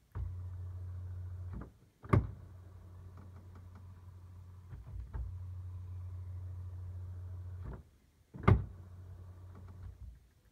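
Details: Dbox during boot: low motor hum in stretches of a few seconds with sharp knocks at each start and stop; strange noise, cause unclear.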